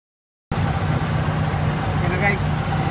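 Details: Vintage car whose owner reported a low, rough idle with strong vibration, blamed on spark plugs being cleaned: here a steady low idle with an even beat and no misfire stumble or shake; running smoothly.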